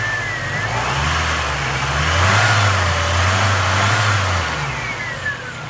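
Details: 1991 Mercury Capri base model small petrol engine, 5-speed manual, 52,000 miles, from a side-collision car, on an engine test. It revs up smoothly and settles back quiet and even with no knocks; a separate exhaust or catalytic converter plate rattle is noted.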